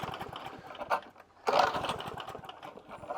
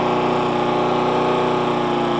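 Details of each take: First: Hayter 41 lawnmower that hit something hard: two pull-cord bursts with only a brief sputter and no catch. It is not a timing issue. Water is in the fuel, a carburettor issue is suspected, and the tank and carb are to come off to drain the water. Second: Hayter 41 mower that hit something hard and wouldn't start, after spark plug tightening, carb clean, tank flush and carb o-ring and clip refit: steady, even single-cylinder drone, no longer laboring; running normally.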